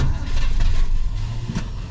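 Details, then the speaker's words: 1967 Pontiac Grand Prix convertible, 400 cu in 350 hp V8, long-stored, cold-blooded: slow, heavy, surging cranking that struggles to spin the engine without catching; faulty starter. "and that is a bad starter"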